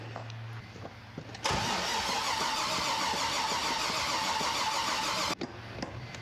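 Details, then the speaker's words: Jeep XJ with a rebuilt junkyard 5.3 V8, first start: starter cranks steadily about four seconds with no firing, then quits; no spark because the crank and cam sensor plugs were swapped. "yeah you don't get no spark if you ain't got no cam crank"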